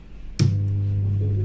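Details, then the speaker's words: 2N3773 transistor amplifier with speaker connected, at switch-on: loud steady low hum locks in and does not fade; shorted output transistor. "शायद ध्वनि आपने सुना। यह लघुकरण समस्या और इसके इसका परिणाम क्या होगा?"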